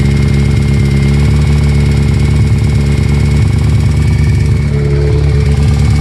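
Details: Kawasaki ZX14 at steady idle with a dull regular knock; a tech blamed the number 3 piston lacking oil when ridden hard, owner suspects a spun bearing there, possibly the cam chain tensioner.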